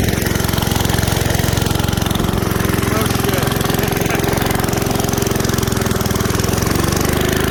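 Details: 1978 Billy Goat Winro leaf blower with 5 hp Briggs points engine, found in trash, run on starting fluid and little oil: fast, even single-cylinder putter with no misses or knocks, then cuts out abruptly; runs healthy.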